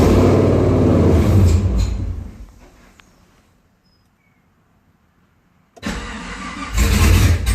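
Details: 2010 Camaro SS after engine install: long fast cranking about three and a half beats per second, a catch that dies, more cranking before it fires; hard start.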